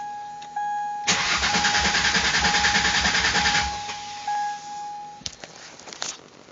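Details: 1999 Mercury Cougar after swap from 2.5 V6 to 2004 Taurus 3.0 engine with newly wired-in injectors: chime, then about 2.5 seconds of steady cranking at roughly three pulses a second, never fires; crank, no start.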